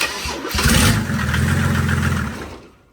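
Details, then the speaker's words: Mercedes 190D drag car, OM606 diesel with Bosch 044 electric fuel pump: starter churns about four turns a second for a couple of seconds, never fires; pressure at 20 PSI but lift pump disconnected with pin still in, shooting fuel, so no start. "Uh, the lift pump, uh, the pin is still in. So, just since disconnected, just shooting fuel. Yeah, that's probably why it didn't start."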